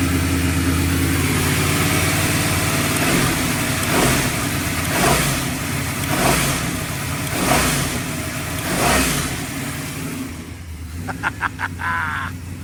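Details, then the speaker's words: V8 with new orange ported air-gap intake and fuel pressure set on the standalone; deep rumble rising and falling in slow even surges about once a second, no misses or knocks; running properly, works flawlessly. "It works. It works flawless."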